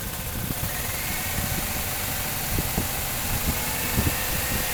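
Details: 1997 Chevrolet Cavalier with P0300 random/multiple misfire: rough, shaking idle with irregular stumbles and thumps, caused by a failed ignition control module firing only one coil pack; new coil packs didn't help, replacing the ICM fixed it.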